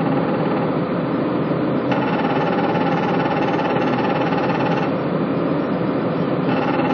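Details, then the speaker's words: Patrol RG 140 B, diesel running: steady buzzing rattle from the hydraulic reservoir drain vibrating, first suspected the hydraulic pump; fixed by wedging a small shim under it. "dreno do reservatório de óleo 68. A vibração aqui e ele fica fazendo esse barulho. A princípio a gente achou que era na bomba hidráulica."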